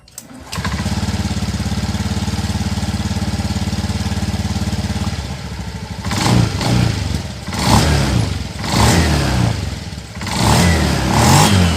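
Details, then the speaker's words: Honda Beat injection scooter after a bearing seater is fitted to the rear CVT pulley; idles evenly and revs cleanly with no belt-drive rattle or judder, the CVT sounding smoother than before. "Oke teman, hasilnya mantap, bunyinya semakin halus."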